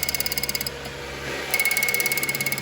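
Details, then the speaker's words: Nitrous system on a 305 small-block Chevy Firebird, key on with electric fan running: rapid even ticking about twelve clicks a second as purge, fuel and nitrous solenoids click and fuel pump runs; solenoids working normally. "The fuel solenoid's also clicking. I can hear the fuel pump."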